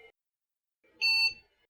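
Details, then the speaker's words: IBM 5150 PC during refurb, powered up with no keyboard plugged in: a single short, high PC-speaker beep at power-on, with POST errors 2055, 2011 (possibly bad memory chip) and 301 (probably keyboard error) shown; drive spins up. "still don't have a keyboard plugged in not sure if it's supposed to sound like that but 2055 2011 301 I think 301's the keyboard error"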